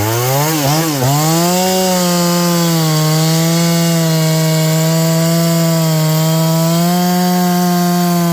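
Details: John Deere CS81 chainsaw that was leaking excess fuel, test cut: pulls down briefly as the chain bites, then holds a strong steady high drone through the cut without stumbling; burning black off, muffler drying out, needs more run time; normal running under load.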